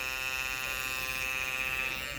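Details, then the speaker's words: Andis Master cordless clipper, blade on and adjusted tight: high steady buzzing whine with a harsh edge; a worn plastic piece is rubbing on the motor, fixed by replacing it. "Now let's see what happens. It's touching it. That's a good way to know. It's touching it."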